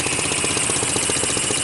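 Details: Sunl 150cc dune buggy GY6 engine, no-spark fault fixed with a $14 pit bike AC CDI ignition kit; steady, even idle with a quick regular beat and high-end buzz, no misses or knocks, running right.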